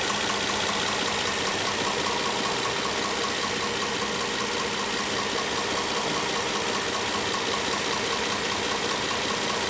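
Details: 2010 Nissan Maxima with 1,400 miles at idle: a hissy, busy engine sound with a loosely regular knock about two or three times a second.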